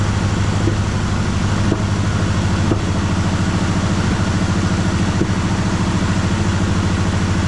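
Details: 1973 Chevrolet Malibu donor car, first start after sitting about 25 years, on fresh gas and full of antifreeze: rough lumpy idle with irregular pops about every second as it misfires and clears one cylinder at a time.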